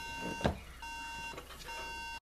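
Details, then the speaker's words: MacBook Pro that won't power on or give video: no chime, just a high steady beep repeating in sets of three with pauses; suspected RAM memory fault, not confirmed. "Lo prendemos. Y tenemos tres pitidos continuos."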